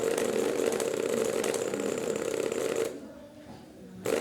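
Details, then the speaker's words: Sui gas pump compressor with body removed, run direct after dimmer found bad, testing winding on test board: steady mid-pitched buzzing hum with rattly vibration that cuts out briefly then returns; winding good, pump rubber diaphragms suspected. "इसका मतलब हमारे compressor की winding ठीक है, तो इसकी रबड़ों का मसला है।"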